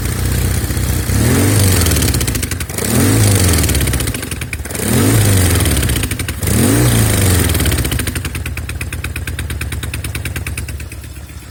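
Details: Norton Commando twin, left cylinder misfire: blipped then idling with an uneven stumbling beat; not carbs, ignition, plugs or cables; no air leak found at manifolds or head gasket; exhaust tight; some left-side smoke on throttle.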